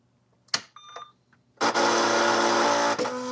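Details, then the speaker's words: U.S. military AN/UGC-74B communications terminal, dot matrix printer that won't print: a few short beeps at power-up, then about a second and a half of steady motor whir as paper line-feeds with the print head at home position, no print-head chatter. "See the paper just moved now. So, a little bit different response."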